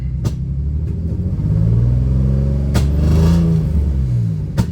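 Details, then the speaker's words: 350Z drift car VQ engine, first start after new spark plugs and spark plug tube seals: lumpy uneven rumble with sharp pops and backfiring, down a cylinder and misfiring; owner unsure, perhaps a vacuum leak, no visible valve cover leaks. "Pretty sure we're down a cylinder right now. She's misfiring now. She's running like Backfiring like crazy."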